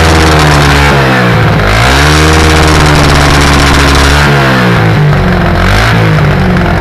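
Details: 1984 SR125 single revving loudly: choppy, irregular crackling pops as the revs peak and drop, like car anti-lag. It is a high-rev misfire, and the owner suspects an intake leak.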